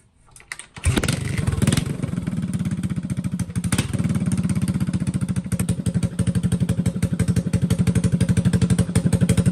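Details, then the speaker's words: A restored Suzuki GN400 with a welded exhaust, new rear tire, fixed brake line and rejetted carburetor: it catches after a brief crank and settles into a steady, even thump at idle, about four beats a second, sounding healthy. "I would say that this clunker has been saved it was a great little project for a bike that was left for dead and I think we should listen to it one last time"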